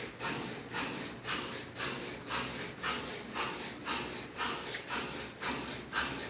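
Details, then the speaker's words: Brastemp 7 kg washer with heating, condemned by another technician, running after capacitor replacement (motor had been growling): steady, even swishing about twice a second over a smooth motor, no roar or grinding; normal washer operation. "o técnico disse pra dona jogar a máquina para que ela não tinha mais conserto vamos ver aí funcionando perfeitamente sem nenhum problema"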